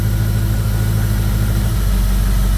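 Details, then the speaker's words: 2002 Jeep Grand Cherokee 4.7 V8 with a recurring coil #3 melting and misfire problem; restarted with the check-engine light on for its usual EVAP code, it idles low and smooth with no misfires. "okay now we have an engine light on because now it's thrown the EVAP code that it always throws it always throws that EVAP code but and she's running so smooth again"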